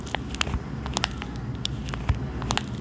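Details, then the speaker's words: Samsung Galaxy Z Flip 6 hinge, recorded with the microphone beside it: irregular sharp snaps and crackles as the phone is folded and unfolded, very loud on some days like a biscuit or Pringles crisp, over a low room hum; the hinge is crackling. "É, meus amigos, basicamente a dobradiça do meu smartphone está assim, estalando o tempo todo. Tem dias que eu abro e faz um barulho altíssimo, parecendo um biscoito, parecendo uma batata Pringles."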